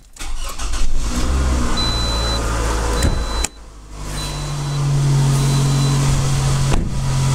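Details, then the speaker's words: Toyota RAV4 four-cylinder at idle: warning chimes, then a steady droning idle with a persistent hum, getting noisier with driving, seemingly from low on the passenger side; idler pulley replacement didn't fix it, cause undetermined. "this is my four-cylinder Toyota it's slowly getting noisier and noisier the more I drive it"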